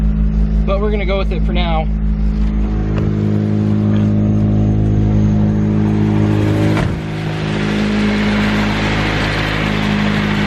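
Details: Nissan 240SX S13 SR20DET with a 3-inch EMUSA catback exhaust now fully bolted down: deep, steady drone through idle and a rev blip, with no ticking or puffing. Exhaust sealed, leak gone.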